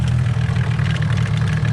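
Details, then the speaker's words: Toyota Cresta JZX100 with 500 hp 1.5JZ drift car, after two years in storage, at Nikko Circuit: steering went heavy and charging light came on; deep steady idle with no belt whirr, perished crank pulley rubber damper broke and threw the accessory belt. "so all of a sudden the steering got heavy and the uh battery charging light came on so it's probably uh it's probably a belt that just got thrown off"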